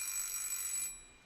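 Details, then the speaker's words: Junk-shop mechanical alarm clock being serviced for the first time, with the alarm hammer striking the bell under test. Bright, fast metallic ringing for almost a second, then a clean cutoff. The alarm works, though it later goes off on the hour unexpectedly. "if you could see the hammer earlier that the action was doing it was bashing on something that's the alarm feature this is going to be really loud"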